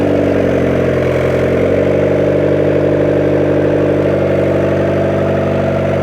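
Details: 1994 Honda Civic EX with freshly rebuilt engine, first start-up after almost 2 years off the road, started via jumper wire: steady, even idle, smooth low hum, no knocks or misses; normal idle. Coolant reservoir afterwards not holding pressure.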